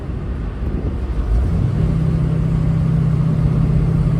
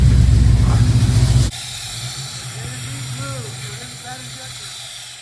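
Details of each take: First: 1969 Pontiac Firebird with Holley Sniper EFI on a test drive of almost 10 miles after the bad injector was replaced; the engine pulls up cleanly under full acceleration with good air-fuel readings and no stumble, with road noise underneath. Normal running after repair. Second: 1969 Pontiac Firebird with Holley Sniper EFI; an uneven, loping idle stumbles on one cylinder three or four times a second. The suspect injector was moved from back to front and the problem followed, so a dead injector is confirmed. Misfire.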